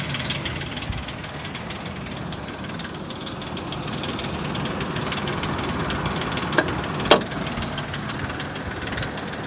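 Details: 2003 Ford Explorer 4.0 SOHC, about 380,000 km, hot engine at idle: faint uneven tapping with a couple of sharp clicks; the noise vanishes near 1000 rpm and returns near 1500 rpm, cause unknown.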